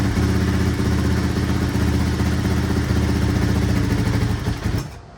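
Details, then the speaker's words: 1983 Honda XR200R single-cylinder after top-end rebuild and engine overhaul, first start on half choke after primer kicks: even thump at steady idle, quiet with no cam chain slap or top-end ticking, then cuts off; cam chain adjustment to be checked once warm; normal idle. "quiet, no cam chain slap. Still gonna loosen this up here in a bit once this warms up and just make sure it's adjusted, but I can't hear anything, which is good. Idling smoothly."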